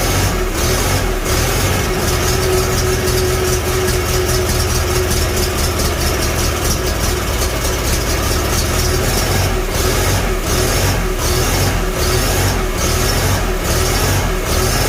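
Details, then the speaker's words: Farmall Super A antique tractor, start after a magneto rebuild and retiming: a steady, even low-pitched chug that holds smooth as the throttle rises, no misses or knocks. Normal running, the timing now sounds right. "There we go. That sounds much better. Let's give a little bit more throttle this time. Ooh, she sounds nice."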